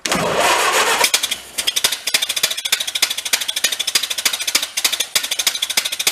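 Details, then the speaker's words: 1931 Ford Model A pickup, sat decades in a leaky barn, started on choke with a little throttle: catches after cranking and runs in uneven sharp pops about three a second, sounding like it can't breathe; owner suspects a nest inside the muffler. "it just sounds like it's it can't breathe you know"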